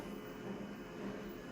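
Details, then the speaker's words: Konica Minolta machine running a job: under a quiet running hum, low-pitched and high quick squeaks recur irregularly, roughly twice a second, getting louder at times; source unknown. "There's a low-pitched squeak and a high quick-pitched squeak in here. From time to time, it's not a good sound for Konica Minolta."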